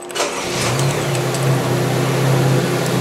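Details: GM 1.4-liter GDI Chevy Cruze engine on a training bench with start/stop, brake on, in park before a stall test: starter whirs briefly, engine catches cleanly and settles into a steady, even idle; normal engine start.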